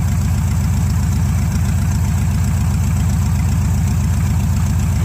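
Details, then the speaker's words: 1971 Chevrolet C10 V8 after tune-up, fresh gas and fuel treatment, idle speed being lowered to test if it stalls; loud but steady low throb, even pulses with no stumble or knock; sounds pretty good. "but kind of doing pretty good right now I want to bump it down some let's see if it'll die if I bump it down a little bit [Music] sounds pretty good"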